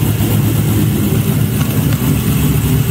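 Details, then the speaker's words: LS V8-swapped Mazda Miata after cleaning the injectors to fix a misfire traced to two injectors; it now gives a deep, steady V8 rumble with an even beat and no miss, running clean. "moment of truth let's see if this solved a problem yeah hell yeah [Music] sounds like a beast now"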